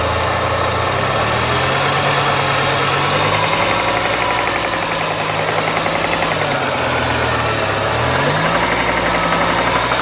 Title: lancia kappa slight engine knock